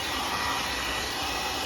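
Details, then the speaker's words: Pro 3000 hair dryer, 220V 1200–1400W, after repair: it had rattled and knocked when handled following a drop. It was reassembled, then the hanging clip and last screw were refitted. Now a smooth, steady airy whir with even pitch, no scraping or rattle; normal running. "Vamos ligar agora. Beleza, aí já não tá fazendo mais, né?"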